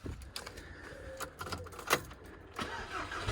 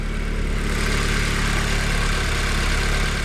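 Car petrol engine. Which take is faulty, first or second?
first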